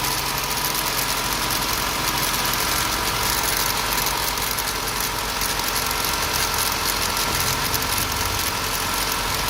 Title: Rattling Noise 1